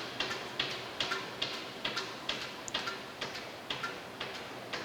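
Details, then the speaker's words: Restored vintage metal planer after installing flat belts, first pulley on; light, even tick about twice a second as the drive coasts down smoothly with no drag, indicating free bearings and no binding tension. "if it stopped real fast that would tell me that i had some tension in there uh but this this looks real good that's spinning down real nice"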